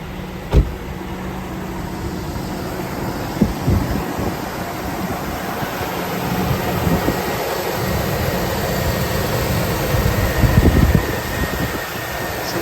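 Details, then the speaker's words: Chevy Yukon/Tahoe/Silverado V8 after fuel injector replacement, cylinder three having had trouble: low, steady idle with no clear miss or stumble, sounding a little better, no leaks after pressurizing the system. "idle sounds a little better maybe uh that whole bank number three i know was having trouble sounds pretty good no leaks"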